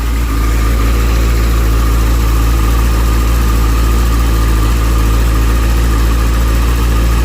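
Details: Motorcycle after replacing failed, melted rectifier that burnt its connector; smooth, steady low-pitched idle, even beat, no misses or rattle, charging fine, wires cool, unit slightly warm: normal idle.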